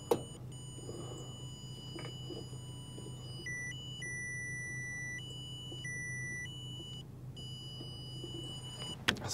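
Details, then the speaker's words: Bobcat S175 with no cab power, tracing harness with a wire tone tester; steady tone jumps to a different, stronger note in bursts at one crushed-looking spot, wiggling the wire loses signal, possible crushed spot in harness. "aha's see how I can we can hear the tone but it's not consistent that's crazy so now we're getting a different tone it's almost like there is kind of a smushed spot here in the harness but"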